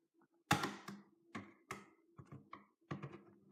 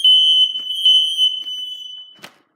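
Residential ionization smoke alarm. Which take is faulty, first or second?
second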